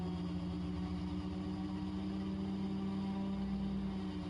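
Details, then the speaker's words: Raptor prototype aircraft ground run-up on brakes, prop governor taking over at full power, 43 PSI manifold pressure, EGT 1400–1600: strong steady drone holding pitch, smooth and healthy; normal full-power run-up. "There's the governor kicking in. That's full power there, 43 PSI, 1400 on the EGT, 1500 and 1600."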